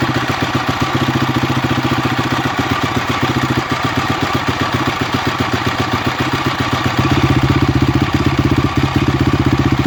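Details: Honda CRF250X single-cylinder engine idling with an uneven clattery patter that swells louder twice; strange engine noise, cause unknown.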